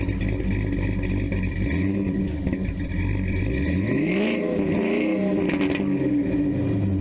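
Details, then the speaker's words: 2003 Land Rover Discovery 2 V8, 101k miles, emissions stripped, running headers with no catalytic converters, O2 sensors unsorted and runs a little weird: loud, raw, throaty idle with blips that bark and rise sharply, open header exhaust. "but anyway let's fire it up so you can hear these headers"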